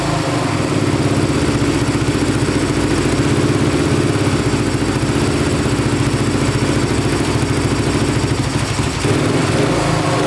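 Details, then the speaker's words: 2008 Suzuki RM-Z450 single-cylinder dirt bike running strong and even after setting throttle position sensor to 6 volts: smoother throttle response, no popping or backfiring. "Oh, that sounds pretty darn good. So, setting that throttle position sensor to 6 volts really helped a ton. It's really smoothed up the throttle response. Sounds great. No popping, no backfiring."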